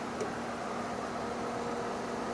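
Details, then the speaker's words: 2002 Jaguar X-Type with a 3.0-liter engine and manual transmission, idling at a salvage yard: soft, even hum with no knocks, ticks or stumbles. The engine sounds perfect and holds steady without shaking. "very quickly let's just go listen to that three liter engine because it sounds perfect from here oh yeah in a heartbeat I would drive this"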